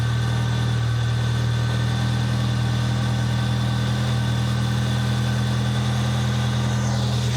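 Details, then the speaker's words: Nissan 200SX turbo at idle during a turbo noise investigation: steady low hum with a faint hiss of intake air, much quieter than before, though the idle stays slightly uneven. "All right, ZK was right. It's much quieter."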